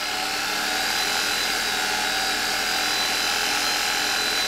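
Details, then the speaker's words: 1987 Zelmer type 200.8 vacuum cleaner's type 300 motor run after replacing one brush, new brush not yet bedded in: steady high whir with even brush hiss, no crackle or surging, no sparking seen; normal motor run. "także jak widzicie ten odkurzacz z tym silnikiem po zmontowaniu ma szansę całkiem fajnie działać"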